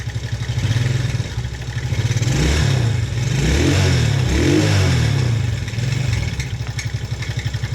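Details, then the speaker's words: TaoTao 110cc mini quad, cold after sitting a while, idle and two revs: dry top-end clatter over the exhaust; owner suspects bad top-end bearing, valves or cam, says it usually improves when warm; not confirmed. "you can tell definitely spawned a bearing on the top end but when it warms up usually it gets better"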